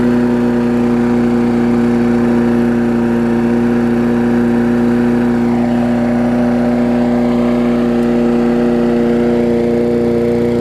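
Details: Sycamore 19-inch push mower engine repowered onto an aluminum Craftsman deck, with spilled oil still burning off. Steady single-cylinder drone holding one pitch with no misses or surging: healthy, normal running.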